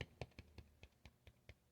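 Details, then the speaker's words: Vintage JBL L-40 loudspeaker, 10-inch JBL 127A woofer after re-foaming and re-centring a sloppily built, off-centre driver: light taps give clean dull thumps with no scraping; no voice coil rub, passes the tap test. "but we got no rub which is really good"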